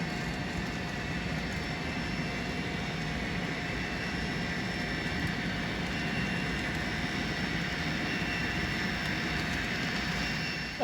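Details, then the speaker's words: Model train: two Intermountain SD40 locomotives pulling heavy weighted hoppers around a curve; thin steady motor whine, low and labored with no pitch rise, motors dragging and straining under load, lacking power. "I mean, some of these hoppers in here are heavy, weighted down, but not that much to where two SD40s couldn't handle that. Because you can hear them dragging."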